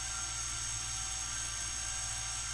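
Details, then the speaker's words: Brüel & Kjær WA 0155 balancing demo unit, motor with new belt, feedback-regulated speed: smooth, even whir at one steady pitch, no wobble or knocks; running normally. "that is really nice um and it's rock steady over there because it's feedback regulated and all that kind of stuff"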